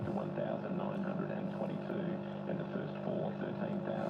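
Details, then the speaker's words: Philips 148 radio with its volume pot refitted, playing through 8-ohm speakers: static, and dull, boomy sound with no treble, like it's underwater. Owner suspects the speaker may not suit the set; cause not confirmed. "Ignore the static and all that sort of stuff. Yeah, it sounds like it's underwater."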